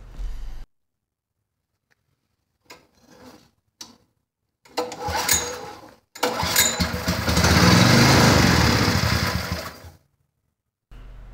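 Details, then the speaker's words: Honda HS35 snowblower with spark, started with fuel poured into the cylinder: a couple of pulls, then it catches and roars a few seconds before dying; not drawing fuel, fuel starvation from a blocked carburetor jet. "it just burned the gas in the cylinder and quit and that was it it wasn't pulling any fuel"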